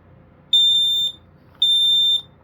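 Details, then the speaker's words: Kidde PI9000 dual-sensor smoke alarm (rare Nighthawk-logo version) under a test-button check. It gives two long, high beeps with a slower-than-usual pattern; the owner suspects the battery, though it is fairly new. "That is pretty slow. It might be because of the battery though."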